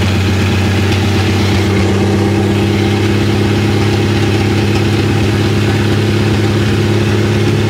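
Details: Willys FC-170 Jeep truck revived with new battery, cleaned points and fresh gas, idling with a low, lumpy rhythm and faint puffing edge from an exhaust leak, described as massive yet also mild; fuel pump clacking; still needs a tune-up.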